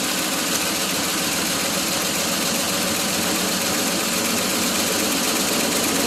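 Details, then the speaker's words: 1981 Ford F150 flareside on its first start after sitting since 2007. A rough, uneven idle with an irregular stumble over a hissy background; it has a miss, and timing may also be off. The owner plans an oil change and spark plugs; the cause is unconfirmed. "that's good enough for me to decide to change the oil maybe throw some spark plugs at it because it does have a miss"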